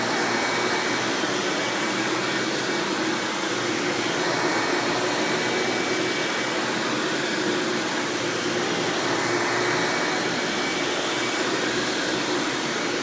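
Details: 1997 Hoover Dirt Finder Power Drive self-propelled upright vacuum, model U6331-930, Elite style, running: smooth, even motor hiss with steady mid tone, no rattles or pitch wobble; exceptionally smooth, surprisingly quiet, normal running.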